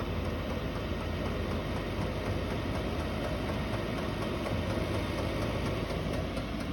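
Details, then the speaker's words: Chinese diesel air heater in a snowmobile trailer, about 20 minutes in at 12°C/54°F cabin, switched to high: steady rushing fan roar with faint fast ticking from the dosing pump as both speed up; normal operation. "It's just kind of settled in at, so you can see, I want to turn it up. Turn it all the way up and you can hear the fan and the pump increase."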